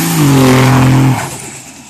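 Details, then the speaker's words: Diesel pickup turbo under acceleration: the note rises, then on lift falls into a fading whoosh. This is compressor surge, the two wheels fighting each other, hard on the turbo and a main cause of failures. "basically what that is is when you go to accelerate on your truck and you take off and you hear that whooing noise um at the end right as you lift when it's building boost basically what that is it's the two wheels fighting each other yeah it may sound cool that's really hard on a turbo"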